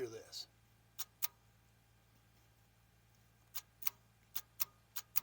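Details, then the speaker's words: 6.2/6.5 diesel (CUCV) at key-on, engine not cranking: a pair of sharp ticks then six more evenly spaced, the normal clicking of the fuel solenoid and injection pump energizing after the pink-wire check. "that clicking noise is the fuel solenoid and the injection pump being turned on now they should fire right up"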